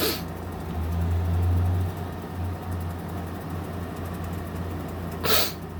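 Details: GE 5,050 BTU window air conditioner on medium fan: the compressor behind three grates kicks in with a quiet, low, even hum and no rattles or clicks; now blowing cold. Normal.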